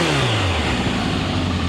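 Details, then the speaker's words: 2000 Kawasaki Voyager XII motorcycle, 67,000 miles, new battery, fresh gasoline, cold engine: revs blip up and settle back to a smooth, even run, with no knocks or rattles. A healthy motor. "No problems at all. Full tank of fresh gasoline. She's ready to rock and roll, guys."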